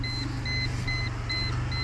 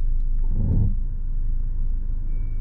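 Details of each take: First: Mercedes that began knocking when steering after hitting a large pothole, with a temporary fix applied; wheels at full lock with throttle applied, the engine pulls smoothly with no knock, only steady warning-buzzer beeps; no knock at full lock. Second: Mercedes heard from inside the cabin, creeping with the steering at full left lock after hitting a deep pothole at night; low rumble with scraping thumps per wheel turn, from a bent wheel rim rubbing on the tie rod end.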